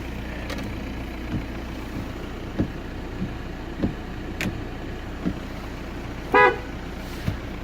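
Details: Audi A4 B6 TDI Quattro with water ingress and intermittent electrical faults: faint clicks over a quiet background, then one short unprompted horn toot; horn sounding erratically, electrical cause not yet found.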